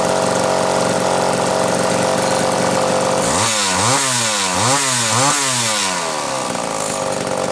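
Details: Homelite Super XL chainsaw after rebuild, final assembly, compression reading satisfactory (new spec roughly 150–160 psi), rings not yet seated: steady buzzing idle then three sharp revs climbing quickly and dropping cleanly; crisp, smooth, normal test run.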